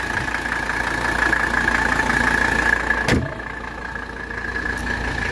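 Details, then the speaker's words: 1985 Mercedes 300SD diesel, cold engine, revved with oil cap off: even clatter climbs cleanly and settles back without stumbling, no blow-by; strong, well-sealed engine. "so excellent engine condition no blow-by this is a strong engine"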